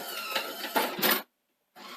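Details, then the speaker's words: Sony SL-C9UB Betamax after rebuilding the front loading system with new rod gears: short whirring runs with a thin whine and clicks, a pause, then a restart. The tape loading mechanism whines and doesn't feel right; a faulty micro switch stopped tapes loading. "whines back yeah I see that that's not ideal yeah that doesn't feel quite right"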